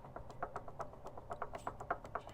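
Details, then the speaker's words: 1970s Caterpillar D3 LGP dozer, pulley exposed: quiet, fairly even clicking about eight times a second from the water pump, a rough ticking of a failing pump bearing; the pump is being removed. "That's our pulley. Here's the water pump. If you can hear that."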